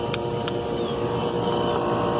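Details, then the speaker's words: Carrier heat pump outdoor unit with its coil frozen solid under thick ice: a strained, steady droning hum from the compressor, which is labouring and running very hot. The unit appears finished. "Listen to that compressor sound. That's really hot too. Yeah, but this carrier is done."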